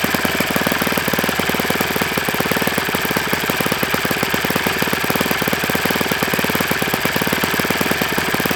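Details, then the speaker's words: Enya 46-4C small four-stroke model engine on a bench test stand with a 12.7 prop, running fast and even with a dry, slightly rattly edge; owner says it needs new bearings, suspected worn bearings, not confirmed. "Yeah, this thing needs bearings. And it's gonna get them. It's gonna get some good bearings in it."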